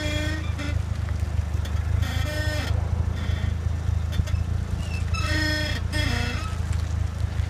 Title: Eclipse creaking sound when turning